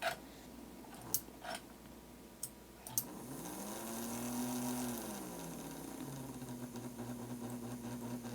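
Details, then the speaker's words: Royal Blue locomotive motor after cleaning and lubrication: faint, even low hum at the lowest throttle setting, no stumbling or catching; low-speed operation excellent. "So low speed operation is excellent. That's as low as my throttle goes."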